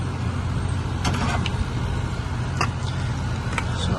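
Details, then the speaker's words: Mitsubishi Mr Slim 9000 BTU ductless outdoor unit after its bad compressor control relay was replaced with a 40 A contactor, capacitor 70 µF good: compressor running very quietly, steady low hum with light clicks, drawing about 6.8 A; healthy. "so just start it up compressor is on it's very quiet see who's running"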